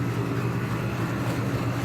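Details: 2009 five-ton Goodman outdoor condenser at a commercial property: steady, heavy low hum with an unchanging droning fan note, running far louder than it should.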